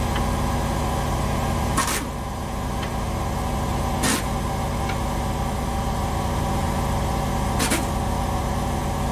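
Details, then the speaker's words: Jacked-up trailer wheel rocked sideways by hand in the shop: three sharp clunks from hub play; owner suspects a failing inner bearing. "We have sideways motion. Thunk, thunk, thunk, thunk, thunk. Got the bearing going bad. I think it's going to be the inner one."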